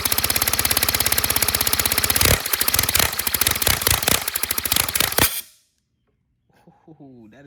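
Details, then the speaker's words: Redesigned 157cc inline twin compressed-air engine, 3D printed, second run: fast, even exhaust puffs, then loosening pulses before it stops; normal, smooth running. "that is so smooth. That is so smooth. I like that."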